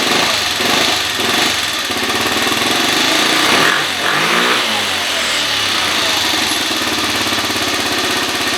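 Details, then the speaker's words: 2013 Kawasaki KFX50 quad after raising the carburetor needle one slot: small single revs up and drops back to an even idle with no stumbling; runs much better. "yeah i like that way better [Music] i like that a lot better"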